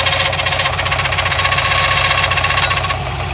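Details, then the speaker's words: Subaru WRX STI at idle: a rapid, even clatter about four per second with a ringing whine, sounding like engine knock. It was a failed timing belt tensioner; the noise stops once tension is applied, so the engine is fine. "you hear all that noise and then the second I put tension on it no more noise so I just want to say that when your car sounds like it's knocking"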